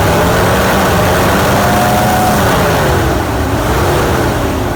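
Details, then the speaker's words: 2006 GMC Canyon 2.8L 4-cylinder 4WD after timing chain repair: uneven lumpy beat stumbling about every third pulse as revs rise briefly to redline and settle; cylinder 3 not firing from a broken ignition coil. "I can absolutely already tell that this engine is in much better shape, even though one cylinder isn't firing."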